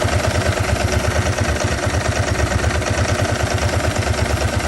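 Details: 2003 Ducati 999S, 7,600 miles, after fixing one-cylinder running caused by a clogged injector: even, lumpy twin idle with steady low pulses and no misses; both cylinders firing cleanly.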